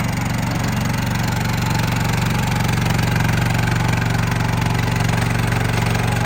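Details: Brand-new, unused 2024 RODA RD380L mini skid steer loader with 13.5 hp gasoline engine, on high tracks, started up: steady, even beat with no knocks, misses or rattles; runs very smooth and healthy.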